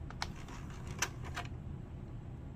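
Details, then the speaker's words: Retro console disc drive after the tray/laser grinding was fixed by cleaning the switch on the motor control board: low steady drive hum with a few light clicks and no grinding, running normally. "but I don't hear it grinding anymore"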